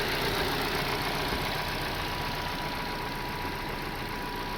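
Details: 2024 Toyota Corolla at idle after replacing three failed injectors that caused three cylinders to misfire (plugs and coils already checked): even, steady idle with smooth hum and no stumble; all four cylinders firing evenly.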